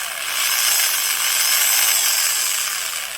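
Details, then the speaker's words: Milwaukee Magnum Hole Shooter drill (#0300), hard-used, gearbox screws loose and alignment pins broken causing gear misalignment: harsh gritty grinding over motor whine, like rocks in the gearbox, worse in reverse; badly worn gears, possibly worn brushes. "that's a really strange sounds either like brushes that are really worn or just some terribly worn gears if we put it in reverse it's even worse"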